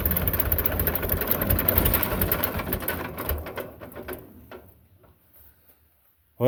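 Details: Belarus 250 tractor, 2-cylinder air-cooled diesel that sat for years, at 3/4 throttle: runs lumpy then sags toward stalling and comes back; surging as fuel gets down, owner suspects the injection pump.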